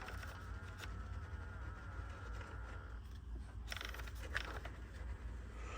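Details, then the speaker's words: Honda CR-V HVAC controls fitted in a 1962 Rambler American on a 2001 Honda Civic chassis: a faint electric buzz lasts a few seconds over steady fan rumble. The temperature blend door actuator is working normally. "okay I just heard one of the actuators move okay that that seems to be working"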